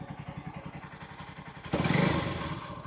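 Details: Honda CBF150 at 62,500 km, just after an oil change replacing very old oil: even single-cylinder idle thumps, then a quick throttle blip; the earlier valve tick and chain rattle are gone, engine sounds healthy.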